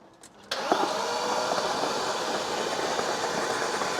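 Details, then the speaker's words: BMW Alpina B10 4.6 V8 cranked on a booster after about 12 years sitting, with spark plugs out: fast, smooth, even starter whirr with no compression pulses, turning over freely; compression thought fine since it was parked over fuel consumption. "nice one mate that's turning over Lovely isn't it it sounds all right"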